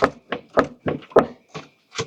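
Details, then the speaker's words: Nissan Murano, body pushed up and down by hand with the windshield cowl removed: sharp dry clicks, about four a second, one with each push, from a strut top nut apparently left hand-tight from the factory; tightening it stopped the click. "So one, I'll show you, I'll push the car up and down right now, and you can see the play. Oh, man down. Okay, so you should be able to see how the suspension's like moving down. And you hear that click."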